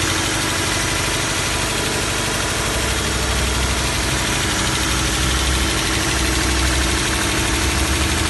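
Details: 2012 Toyota 86 idle with busy metallic clatter ticking about three to four times a second, audible inside cabin; owner asks if rattle is normal, source unclear.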